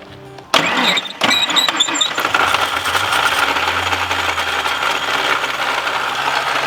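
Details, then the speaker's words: Thunderbird SuperCoupe (supercharged): engine catches and settles into a loud, busy idle with a harsh high whirr and faint squeal from the front belt and pulleys; loud belt and pulley noise. "let's see I just want to hear the pulley situation it's prettyy loud"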